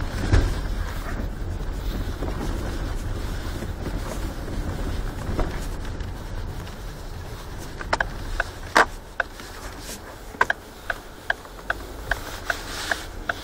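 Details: Ford Focus 3 with about 133,000 km, mic near the pedal assembly, turning right on a rough uncleared road: sharp irregular knocks from the power-steering rack over road and wind rumble, consistent with steering rack play.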